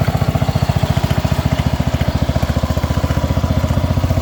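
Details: Allis Chalmers B210 garden tractor, unused about a year, after battery charge, fresh fuel and carburetor bowl dropped: fast, even low thumping with steady beat, no misses or knocks; idling smoothly.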